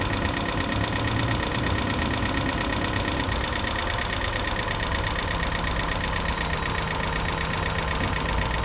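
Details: 2012 Toyota Prius V after a head gasket rebuild and computer panel replacement: fast, persistent ticking knock over the idle; owner believes lifters are adjusting and expects it to clear, cause unconfirmed.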